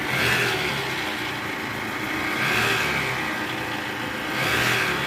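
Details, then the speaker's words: 2013 Toyota Alphard, 2AZ-FE engine: harsh gravelly roar from the oil pan area swelling and easing with revs; balancer shaft found disintegrated and replaced. "untuk kerjaan kali ini kita lagi mau perbaikan ya trouble suara mesin kasar jadi gejala suara mesin kasarnya seperti di awal tadi"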